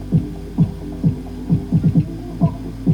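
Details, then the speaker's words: 1995 Marantz 74SD535 dual cassette deck: playback dull and muffled, no treble, thumping low throb about twice a second; heads not clean, cause suspected, not confirmed. "what have we got going on here that was probably the issue with it it sounds really muted and horrible"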